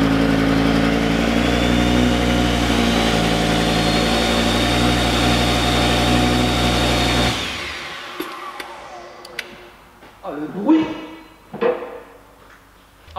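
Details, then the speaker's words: Audi RS3 five-cylinder, engine just refitted and reassembled (spark plugs, coils refitted), no exhaust fitted, first start: raw, loud, even burble, steady and smooth for seven seconds before shutdown; normal running, not yet road-tested. "Oh, ce bruit de 5 cylindres. Je suis trop content, mon gars, je suis trop content là."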